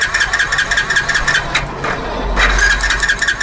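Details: Hero HF Deluxe BS6 motorcycle with starting problem, current at sensor checked OK: engine catches but runs ragged and uneven, sagging toward stalling.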